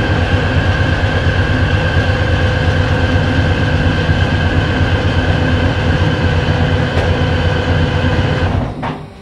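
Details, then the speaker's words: FV432 troop carrier diesel, long-sitting, first start attempt with air filters refitted: heavy diesel rumbles steadily for about eight seconds, then fades and cuts out; it starts and shuts off. "pop it back she starts and shuts off"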